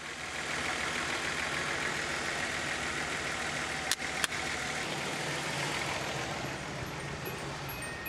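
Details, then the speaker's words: Nissan 280ZX: even idle around 800–1000 rpm for several seconds, then the note sags and dips when the battery cable is removed; idle dropping, owner suspects a bad battery, possibly the alternator. "remove the battery cable wants to idle down what's it idling at right now it's BC between 8 and about 1 800 1000 uh give it some gas yeah so that leads me to believe that this batter is"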